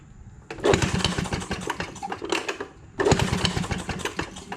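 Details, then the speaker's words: Maytag 92 hit-and-miss engine: two short firing bursts, each dying after about two seconds. Fuel is reaching it and vacuum is not thought to be an issue; the owner suspects weak spark because the ignition points are visibly off center. "what I do think is an issue is spark cuz I took this little inspection cover off and right here's your points and where I'm shining look how off center that point is right there"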